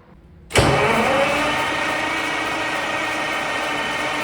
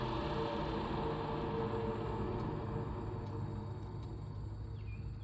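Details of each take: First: Caterpillar 3412 V12 diesel after sitting for years, with several injection lines cracked: steady starter cranking nearly four seconds with no firing; cranks but won't start, no fuel spraying from lines, fuel pressure suspect. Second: Caterpillar 3412 V12 diesel, sat for years, after fuel pressure troubleshooting and snugging the pump-half bolts; steady, even idle with smooth low rumble, no knocks or misses; warmed to about 160 on the gauge; seems good, untested under load.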